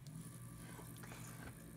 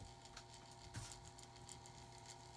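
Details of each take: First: Pellet stove auger gear motor, 2 RPM with a sealed shaft, running on a test board. Low steady hum with no knocking or grinding, quieter than the two other motors compared: normal running. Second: Older pellet stove auger gear motor with curved magnets, run on a cutting board to amplify the sound. Steady hum with a light irregular rattle and ticks; rattly, worn, dirty and dusty bearing.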